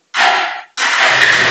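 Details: Bajaj Pulsar 180 BS4 with hard-starting and pickup complaint (needed 4-5 self-starts); short crank, catches at once and settles into steady run; normal easy start.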